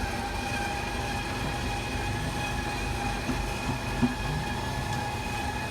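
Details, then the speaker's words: RV slide-out (bedroom, with mattress) extending under power: steady electric motor drone at constant pitch, no grinding or binding, run until fully seated. Normal slide-out operation. "now the slide outs go out."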